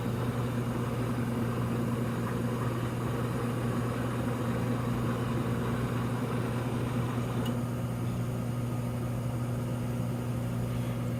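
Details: K&S 973 substrate cleaning system during its first drying cycle, spindle slowed to set speed with infrared lamp on: a steady low even hum with no knocks or scrapes as the spindle spins smoothly; normal.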